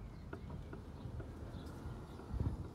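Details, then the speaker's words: Renault Megane front wheel spun on a jack stand giving light irregular clicking over a low rumble: worn wheel bearing with balls failing in the cage, before replacement. "enfin dit ça c'est parce qu'ils les billes dans la cage de roulement en peuvent plus"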